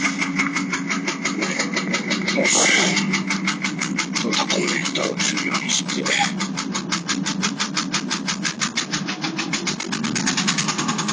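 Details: Late-model Porsche 996 911 Carrera 4, noise present about two months and 2,000 km; it stops when lifting off the throttle while driving, so owner suspected the fuel pump. Quick, regular ticking knock over the running engine; internal engine fault, engine replaced.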